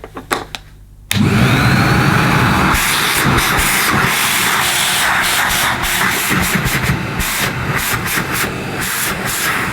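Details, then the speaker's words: Vintage Hitachi CV160 bagless vacuum cleaner, probably late 70s or early 80s, switched on: motor spins up to a steady, even rushing whir with no grinding or rattle; normal running motor. "well that sounds hope came to me it's got a nice nice sounding motor naturally doesn't I don't know what you could compare the sound of this to don't really sound like a Henry"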